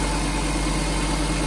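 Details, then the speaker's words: Nissan Grand Livina idling after replacing the AC pulley set, whose bearing was worn loose and dragging from water, causing rough noise; now steady, even idle with no pulley rattle or scraping. "Ini setelah kata ganti puli AC, suara mesin normal kembali, tidak ada suara berisik lagi."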